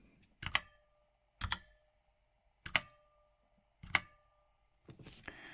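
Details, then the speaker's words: Redragon K556 Devarajas full-size mechanical keyboard, Outemu switches, heavy rigid brushed-aluminum case: each keystroke snaps sharply, then a thin metallic ring hangs about a second; case pinging, maybe due to metal aging (suspected). "you can hear that but let's just get this little closer in case you can hear how it rings it resonates after each keystroke this probably has something to do with it being old age of metal"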